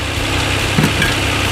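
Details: 2007 Hyundai Entourage 3.8 V6 after replacing the MAF/IAT sensor (P0102 code, no-start problem): steady, even low rumble with no stumbles or dips, engine holding a smooth idle on its own.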